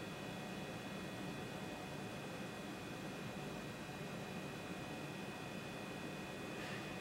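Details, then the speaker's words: A 21-year-old hard drive, powered on for the first time in 21 years, gives a faint steady high whine over soft hiss after the initial click, with no clicking or grinding; normal healthy spin. "it sounds healthy it's not clicking but it is doing the initial click at the beginning"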